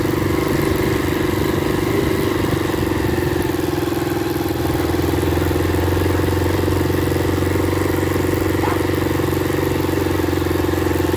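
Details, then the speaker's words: Motorbike after the drive pinion was flipped because one side was more worn, cured a noise near the front sprocket: steady, even engine note with no knock, rattle or chain noise; the drivetrain sounds healthy and quiet. "Pois é meus amigos a gente só virou O Peão e o problema ali Resolveu entrar resolveu ali o problema"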